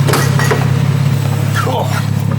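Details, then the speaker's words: Barn-find Nissan R32 Skyline six-cylinder after first start, warmed up to temperature with oil pressure up, old oil not yet changed so not revved: smooth even low idle, no ticks, knocks or stumbles; healthy idle. "so I've run it up the temperature now and she uh she's Mickey Mouse look at that she's got oil pressure up to T don't want to Riv it too much cuz we haven't done an oil change on it yet"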